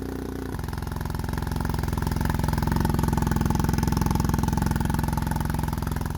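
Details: BMW R1250R with SP Engineering silencer and a squashed dB killer plus washer as a baffle: blunt, flat, coarse, loud idle pulsing about 3.5 beats a second; makeshift baffle makes the exhaust note sound terrible.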